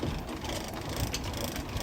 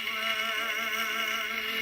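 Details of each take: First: Victrola phonograph after a broken gear and pinion from overcranking were repaired: ratchety clicking as the crank winds the spring, then an even whirr as the turntable spins normally. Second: Victrola gramophone with a reproduction reproducer: music plays thin, tinny and quiet with no bass; the reproducer is poor with perished gaskets needing replacement.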